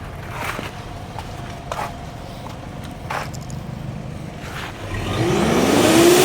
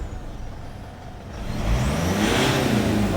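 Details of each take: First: Mitsubishi Pajero Sport diesel with black smoke and poor acceleration: idles roughly, then revs climb slowly when blipped, pointing to a leaking turbo hose. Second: Mitsubishi Pajero Sport 4D56 diesel that had black smoke and poor acceleration, after replacing the intercooler pipe: revs climb quickly and hold with steady turbo hiss, boost now builds fast instead of sluggishly; normal.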